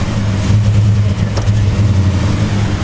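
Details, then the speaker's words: Cold 2002 Chevy Avalanche: a rough, low idle with some knock but good oil pressure; it barely picks up on throttle blips and sags as if about to stall. The engine had not warmed up yet. "Idling real rough. Doesn't want to juice up when I hit the gas."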